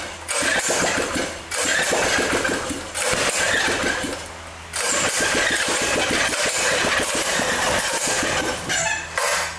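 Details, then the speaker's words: Briggs engine under two years old that won't run, muffler removed to rule it out; each pull it catches briefly and quits, won't keep running. "It's not starting. You know why? There's something definitely wrong with this engine."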